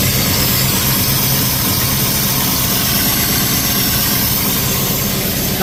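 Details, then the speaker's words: Ford Falcon XB hardtop V8 during restoration, run briefly with no coolant after wiring work: loud, steady rumble with an even beat and no tapping or knocking over the exhaust; the earlier noise is gone, normal running. "The noise is gone."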